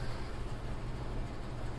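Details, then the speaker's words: 800 W AC/DC power inverter, dead until a fuse was replaced: steady low hum with a faint tonal drone near 120 Hz; internal cooling fan suspected to be making the noise, not yet opened up. "I might have to crack it open or in order to figure out if that fan in there there's a cooling fan just like on the computer on the back side here"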